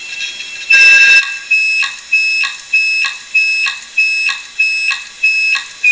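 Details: Old Maxtor/HP hard drive started while opened; rhythmic rising-and-falling high-pitched wail about two cycles a second, like an alarm siren; unhappy, failing drive sounds.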